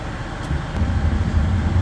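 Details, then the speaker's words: Repaired furnace with thermostat set to 70, blower running; earlier noise has settled down, smooth steady quiet rumble with no rattles or squeals; furnace fixed and quiet, no need to pull it out. "well as you can hear it doesn't make that noise anymore it has settled down"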